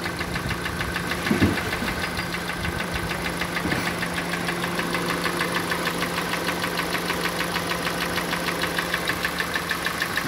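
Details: 2014 Kia Sportage, G4NA engine, about 146,800 km, not fully warmed, before repair: sharp, regular knock about three times a second over a steady idle. Internal engine knock, with scoring suspected.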